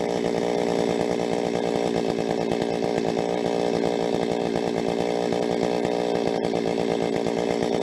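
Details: Rebuilt Stihl 026 two-stroke chainsaw, cutting: screaming flat out in the cut with occasional sharp pops at high rpm; mixture tweaks didn't help, owner suspects spark plug too hot, cause unconfirmed.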